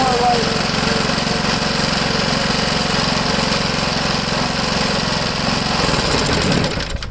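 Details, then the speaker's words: Vintage Briggs & Stratton 3 hp single-cylinder engine, unrun about 15 years, after fixing a stuck throttle; pops along at even governed speed then winds down: normal governed run. "that's more like it so that's another thing you got to watch out for guys will you get an engine like this it's been sitting a long time make sure to throttle"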